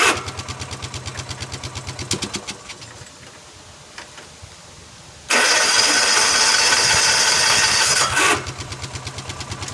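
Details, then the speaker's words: GX75 mower: a weak starter gives labored, uneven cranking at about three beats a second, the engine catching briefly then dropping out; blue smoke follows and the starter needs replacing. "Starter don't sound too good. Starter's gotta get replaced."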